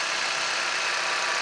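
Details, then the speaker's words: 2006 Opel Zafira 1.6 Z16XEP 16-valve after the exhaust manifold repair for a knock near the valve cover, after running a while: steady idle with an airy hum, no noise or knocking; normal. "всё тихо, ничего не шумит, не стучит."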